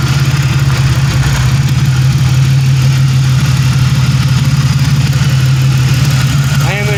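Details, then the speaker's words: Rusty 1997 Pontiac Grand Prix GTP coupe, running: steady, even low idle, smooth rumble, no knocks or misses; normal idle. "i'm not for sure man it sounds good"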